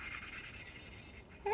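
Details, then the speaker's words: Valve lapping: a dry rasping rub turns into a gritty, squealing grind as the valve is twisted on its seat with abrasive grit lapping paste; this is the normal sound of the grit working. "And you can hear the difference in the noise. What's that noise? That's the grit."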